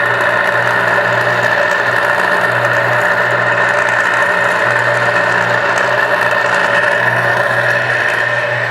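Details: Dão 16 HP lift water pump; constant rough whirring with a harsh gritty edge over the motor hum, an infernal noise fixed by replacing the bearings. Worn motor bearings.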